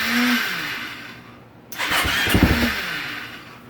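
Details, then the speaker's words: 2015 KTM 450 SXF, choke on, set at 14 turns, starting attempt: brief whir and rattle that fades without cleanly catching; starter clutch slipping and going out, needs replacing. "I'm going to turn the choke back on his St clutch is going out well that sucks starter clutch is going out"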